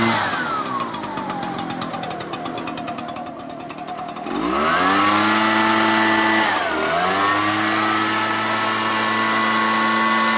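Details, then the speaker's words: Echo backpack blower after a no-start repair (replacement Amazon carburetor, fuel flushed), started on choke: fires up, revs hard, dips once and recovers, then holds a steady high whine; runs strong. "we put it all in and it seems to be working perfectly fine now so I think that would be the solution to this one and we're going to fire it up and see how she runs"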